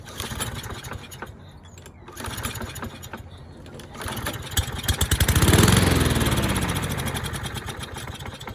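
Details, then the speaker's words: Curbside Toro mower, model 20370, second start attempt before carburetor cleaning: a few pulls, then it catches, races briefly and fades within seconds. It starts and dies, judged a dirty carburetor. "Alright, so starts and dies, so that's definitely a dirty carburetor."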